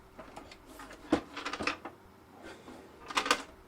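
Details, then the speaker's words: Keithley 2002 8.5-digit multimeter being tilted before opening: faint scattered clicks and a light rolling rattle from a loose part, suspected to be a loose screw inside the plastic cover. "What's rolling around? Sounds like a loose screw, actually. Sounds like a loose screw. Got to take this plastic cover off. Sounds like it's inside the plastic cover."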